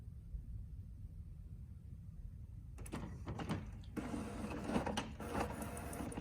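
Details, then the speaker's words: HP OfficeJet Pro 8100 printer running a head cleaning cycle (power held, X twice, paper button pressed), used when print colour is abnormal: quiet hum, then uneven whirs and clacks as the carriage shuttles back and forth; normal printhead cleaning. "You must wait while head is cleaning."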